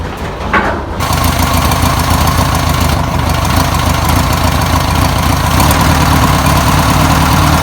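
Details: 1962 VW Type 2 van/bus flat-four, first start after sitting over 40 years, fuel poured in by hand: catches and settles into a steady, even idle with a smooth low chuffing beat, no knocks or misfires; normal idle.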